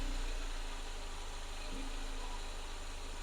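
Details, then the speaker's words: Mercedes-Benz 190E (W201) 2.0 four-cylinder after valve cover gasket replacement for rear-left leak: quiet, even idle with soft steady pulse, no ticking or roughness, no leaks seen; normal idle. "all right so the engine is running in its own way it sounds good"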